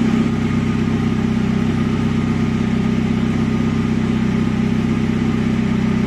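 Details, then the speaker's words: Commer van with 2.3 turbo, old external fuel pump before in-tank conversion: loud steady engine drone with a constant mid-pitched tone riding over it; old external fuel pump whining. "this is what it sounds like now let me just put in a little clip of what it used to sound like"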